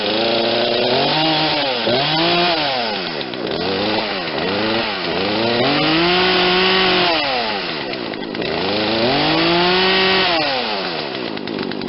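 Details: Poulan Wild Thing 40cc two-stroke chainsaw, 18-inch bar, after fitting an aftermarket carburetor, first tuning run with choke off: stumbles and bogs at low speed, likely running too rich, then revs cleanly and happily at high speed; bogging at low speed.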